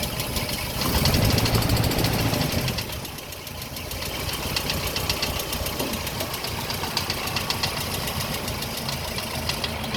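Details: Land Rover Series 3 idling before camshaft roller repair: loud, fast metallic rattle over the engine; valvetrain rattle from worn cam followers.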